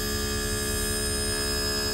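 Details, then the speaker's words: Mitsubishi 4-zone heat pump outdoor unit in test run (switch 3), meant to heat but running in cooling and frosting: loud steady hum with fixed whining tones and even fan rush, fans running high, no knocks; normal high-speed test run. "Both are going a little bit. It really doesn't need to be running as high as it is, but it's test run, so it's doing what it's supposed to do."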